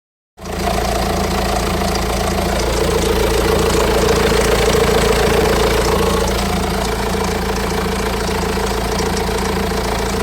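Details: 2007 BMW 118d diesel with 115,000 miles idling with a steady rhythmic knock and faint rattle over the clatter; owner suspects timing chain noise, not confirmed.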